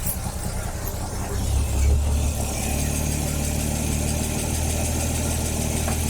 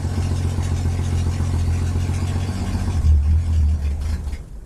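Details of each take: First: Ford Falcon started with fuel squirted in, first drive attempt after new tires: steady, even low engine rumble with no stumbles or knocks after the first couple of seconds; runs smoothly and holds idle, normal. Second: Ford Falcon on its first attempt to drive, just after starting: a low, uneven idle sags and fades out as the clutch is pushed in and a gear is selected. Engine stalls.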